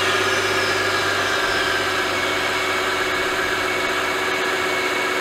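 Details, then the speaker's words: Mercedes-Benz M272/M273 V6 (S211), warm idle: hard diesel-like knock at even speed; suspected low oil pressure from leaking oil pick-up tube O-ring, being replaced via oil pan removal. "hopefully we get oil pressure idle to stop the ridiculous knocking sound like a diesel"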